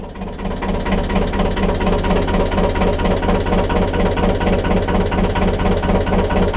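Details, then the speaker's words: 1.5 BMC diesel narrowboat engine after glow plug replacement, held at higher revs: heavy clatter with a lumpy uneven beat of about two pulses a second as it misses a bit. Misfire at higher revs. "So I've got her on some revs there, and you can hear she just misses a bit. She's a bit noisy, but I'm going to switch the prop on now and see what we're like."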